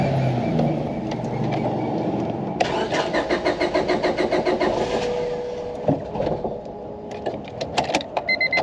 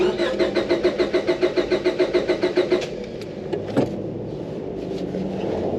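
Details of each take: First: 2002 Honda Civic DOHC VTEC 5-speed, unrun for over 10 years, after new water pump and fuel pump: starter cranks with quick uneven chatter, then the engine catches and settles into a rough but running idle. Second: 2002 Honda Civic B16 DOHC VTEC 5-speed, unrun over 10 years, after water pump job, fresh oil, new plugs and battery: starter cranks evenly and briskly about three seconds, never catches; no fuel delivery.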